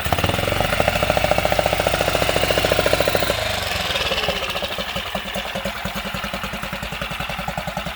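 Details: Tohatsu 6 hp outboard after carburetor cleaning (wouldn't start after six months' storage), water on, choked, start position: fires rapidly and evenly, drops to a lower steady idle after about three seconds, runs cleanly; normal running.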